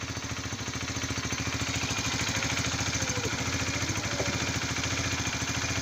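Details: Honda CBR 125 (2004-2006) started just after an oil change and oil strainer cleaning: a steady, even putter at idle, about three and a half beats a second, with no ticks or knocks. Normal idle.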